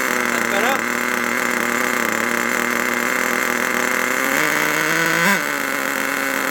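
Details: HotBodies 3.5 nitro engine in an HPI Savage 21 RC truck, after turning the idle screw out: steady high buzzing idle with a brief rev blip, then back to an even tone; idle settled at a healthy speed.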